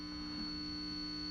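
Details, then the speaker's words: Positive-ground guitar pedal: steady high squealing whistle over a low hum, unusable; caused by a noisy charge pump chip. "yeah you hear that horrible squealing sound [Music] there's a definite squeal you hear that whistling"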